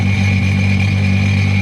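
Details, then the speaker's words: 2005 Sea-Doo RXT, supercharged 4-Tec Rotax 215HP engine with aftermarket intake and exhaust, run on hose after winter storage, fogging oil burned off; steady deep rumble with clear supercharger whine, no ticks or knocks. Normal healthy engine. "We have no odd noises coming from the engine. You hear the supercharger whining in there. No ticks or anything like that."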